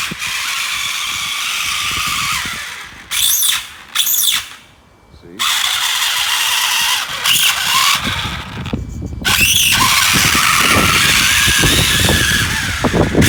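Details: Traxxas Summit on 6S with a TP Power motor and Max6 system, metal transfer cases, run on concrete. High-pitched squeal and ragged chatter in bursts on each throttle pull as the sacrificial plastic spur gear strips.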